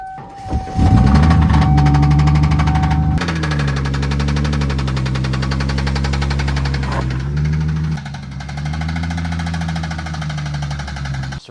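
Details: 1995 Ford Mustang SN95 with original V6 before swap to 302 Windsor: engine pulls steadily at low revs with a faint regular tick about three or four per second on the drone; major bottom-end rod knock.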